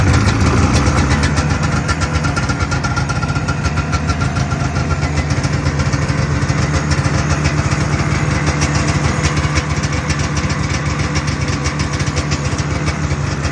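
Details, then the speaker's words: 1978 Arctic Cat El Tigre two-stroke snowmobile after leaning the carb (20 pilot, 280 main, needle clip one down from top) and wiring fixes: steady even buzz, crisp exhaust beat, no misfires or bogging; idles cleanly. "um it's running good"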